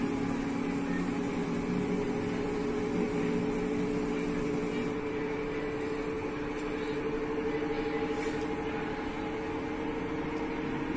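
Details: LG front-load washing machine in the spin cycle: steady even hum, smooth mid-pitched motor tone, no knocking or scraping; normal spin sound.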